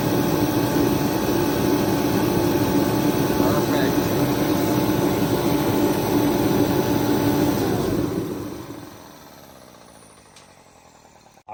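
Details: Remington 135 (REMT-135T-KFA-O) forced-air heater, previously not igniting or spraying fuel, repaired, pressure being set to 5 PSI; even, steady roar with constant hum for about eight seconds, then winds down to quiet; normal running.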